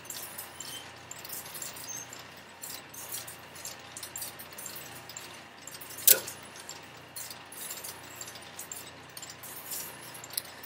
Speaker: if it's sitting on a sender that's in use it'll rotate until it finds an idle sender the thinking there is why would you ask it to move in it's already sitting on a sender that it can use and every once in a while you'll hear it hunts for an idle sender like that one just did